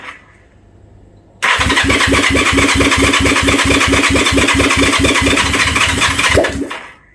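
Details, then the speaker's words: Honda CB360 first start after insulating a suspected shorted white/black wire: catches at once, then loud raw uneven popping with a strong fuel smell; rough running. "Sounds like a yellow submarine in the bath. I say, it's like Fat Thelma in the bath let one off, doesn't it?"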